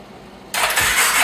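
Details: 2014 Polaris Sportsman 570 ATV, first start attempt in garage after top-end replacement (decompression system broken when cam was misplaced): after a quiet moment, harsh hissing cranking with soft thumps but no firing. Cranks but won't start; owner suspects missing air filter.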